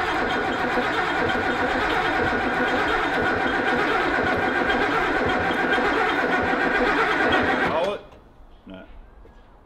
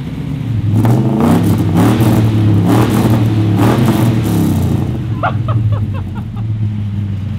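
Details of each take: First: Ford XY GT Falcon with 351 V8 on first start-up after build, fuel system primed by pressurizing the tank: steady even cranking about four turns a second for eight seconds, never catching, no spark; cranks but no start because ignition timing is out of phase. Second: Ford XY GT Falcon with freshly built 351 V8, first start-up after timing adjustment: deep rumble with clean, crisp rev blips settling to a steady idle; normal running V8.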